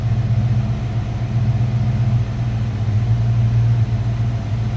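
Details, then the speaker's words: 1986 Ford Mustang GT convertible, box-body 5.0L 302 V8 with 5-speed and aluminum radiator, heard from the rear while idling: deep, even V8 burble with a steady low rumble, no knocks or misses; normal healthy idle. "Flip around to the back so you can hear this run. Sounds like you'd expect a box body 5-liter to"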